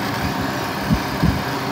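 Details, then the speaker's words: Honda Foreman 450 ATV at idle, heated until the thermo switch grounds and runs the fan circuit, overheat light off: steady low hum and whooshing drone over the idle with no rattles or scraping, then the fan shuts off; normal cooling fan operation. "can see the fans running you can hear it we're gonna wait until that cools off just so you know the overheat light is not on but there it goes you can hear the fan just went off"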